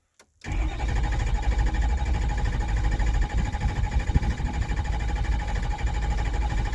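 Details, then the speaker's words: 2006 Ford F350 6.0 Powerstroke diesel after sitting five to six years, after repairs, no codes: quick crank, catches at once, settles into firm steady idle with no stumble or smoke; normal start and idle. "oh yeah we're running we're running no smoke in there and there it is 6-0 F-350 running"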